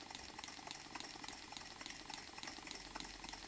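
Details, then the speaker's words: New Stuart D10 twin-cylinder model steam engine run on compressed air: wet hissing chuff with soft blop-blop gurgle almost twice a second, caused by slide valves and exhausts deliberately flooded with oil. "Donc le bruit de succion, je vous le rappelle, est lié au fait que j'ai gavé les tiroirs et les échappements d'huile."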